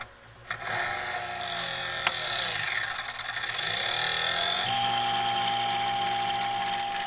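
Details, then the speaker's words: 1980s Black & Decker heater converted to a fan, metal blades, run on a light dimmer: thin high whine rising and falling with fan speed over motor hum; motor sounds whiny and likely needs oiling again. "it's a whiny motor sounds like I need to oil that motor again"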